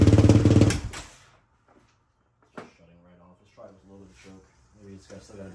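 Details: 2004 Yamaha Raptor 660 dual carb, Pro Design intake, K&N filter, full Yoshimura exhaust, sat long, fresh fuel, choke off: brief loud firing that dies within a second, faint bursts; only runs on choke.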